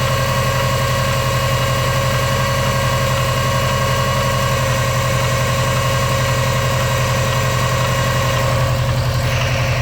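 Engine idles with a heavy low pulse near four beats a second plus a faint whine, an odd noise with no clear cause.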